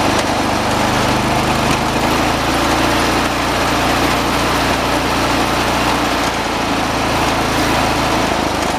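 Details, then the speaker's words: 1986 John Deere 216 lawn tractor, single-cylinder, at high throttle: steady even drone, no surging or hunting; judged all right, throttle linkage left alone; normal running. "right about there I think it's all right where it is"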